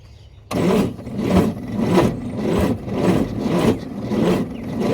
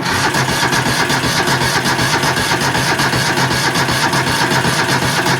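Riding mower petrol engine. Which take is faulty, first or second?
second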